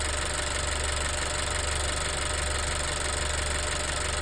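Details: Honda EarthDreams turbo GDI engine idling with a light, fairly even tick about once a second, before MotorKote and Marvel Mystery Oil treatment; cause not pinned down, ticking later returned.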